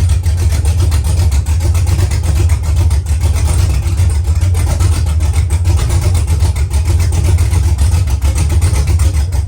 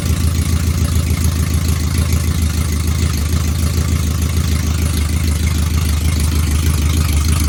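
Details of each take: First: V8 truck after DOD (cylinder deactivation) removed from the tune, with mechanical DOD delete, exhaust still to be fitted: deep steady idle with mild rhythmic cam lope, all cylinders firing evenly, healthy. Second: Truck with DOD removed mechanically but still active in the tune: loud uneven lumpy idle with hollow off-beat pulse, running on four cylinders, two per side; cylinder deactivation stuck active, DOD tune delete planned.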